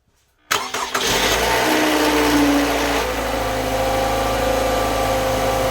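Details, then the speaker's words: 2017 Toyota RAV4 2.5 L gasoline engine started just after an oil and filter change: quick crank, it catches immediately, a brief flare, then a smooth, steady idle with no rattles or knocks; healthy start. "We're going to start it up real quick and then let it run for a little bit and then check the oil level."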